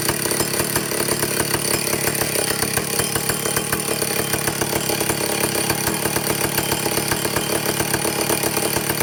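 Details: Vintage Stihl chainsaw after air-leak and fuel-system repair and carburetor adjustment: steady high-pitched two-stroke scream at full throttle; no surging or sputtering, running cleanly.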